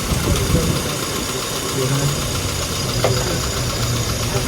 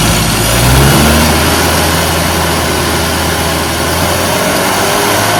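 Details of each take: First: Classic car engine after ignition timing was set (it had been running very rich, fueling still to adjust): even, low, steady idle with a smooth regular beat, no misses or hunting; timing good. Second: Small four-cylinder classic car engine revving flat and uneven with an occasional miss off the rev range; ignition timing retarded.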